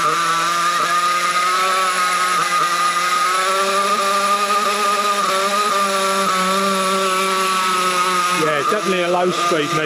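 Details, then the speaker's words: Nitro Trophy RC buggy out in the cold: plenty of smoke at the top end, but a high, wavering buzz at low throttle sounds thin and lean; the low-speed needle and carburettor are at fault. "Plenty of smoke at top end, but the bottom end, you can hear how lean it is."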